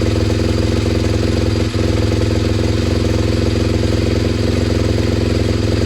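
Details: SWM RS125R single-cylinder 125 at 9,564 miles, running just after top-end rebuild (valves, timing), no coolant pipes connected: fast steady even beat with a light jingle on top, black smoke burning off assembly oil; running fine.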